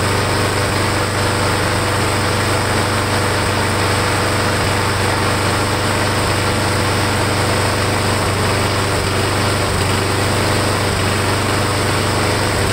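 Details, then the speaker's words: Briggs & Stratton Quantum mower engine after fixing warped air filter base with built-in primer: steady high-pitched single-cylinder drone with brief speed dips while the primer is pushed, primer feeding fuel, engine running normally. "Sounds like it's working."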